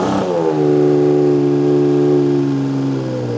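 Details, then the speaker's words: 1979 Honda CBX 1000 six-cylinder, 15,000 miles, Delkevic 6-into-1 exhaust, cold start; smooth even tickover on choke, slightly fluffy off choke, needs warming; normal cold idle on choke. "So, we need to keep it on the choke for a bit. This is off the choke and you can hear a bit fluffy. That's on the choke."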